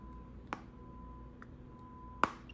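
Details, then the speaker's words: Google Pixel Fold original review unit: sharp, irregular clicking, snapping, cracking from the hinge whenever slight pressure is put on it or it is flexed, louder with the hand right at the hinge, as when holding it. "it seems like whenever you put a little bit of pressure on the hinge there's a clicking snapping cracking sound and it is louder when your hand is right there"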